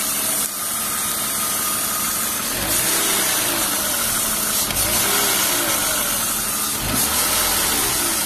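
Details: BMW E36 328i convertible, M52B28 engine at idle: constant high hiss from roughly under the intake manifold plus a light recurring rattle from the engine itself, not the VANOS area; owner wonders about old oil, last oil change long ago.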